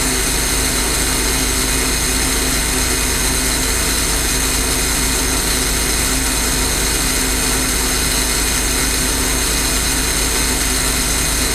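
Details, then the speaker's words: J. G. Brill gasoline motor car 120, interurban rail car, after alternator replacement: steady fast even beat with bright mechanical clatter; engine now running normally. "As you can hear, the car is now running."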